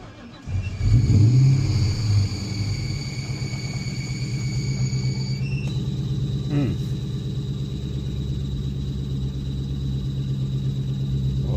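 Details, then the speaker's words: 2004 Ford Mustang Mach 1 V8, manual, reported hard crank/no start: cranks, catches with a flare, then shakes badly at a lumpy idle from a defective MAF sensor; throwout bearing chirp also present. "the vehicle is definitely starting. They said it was a no crank, no start. It's shaking really bad though. Just gonna let it idle."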